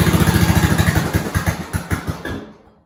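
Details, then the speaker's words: 1970s snowblower rescued from scrap, small single-cylinder engine started on slow throttle with choke on and primed, with a new fuel line. Even, steady thumping with no misses or knocks, then winding down, a normal idle. "That sounded good. I'm going to let it sit for a while."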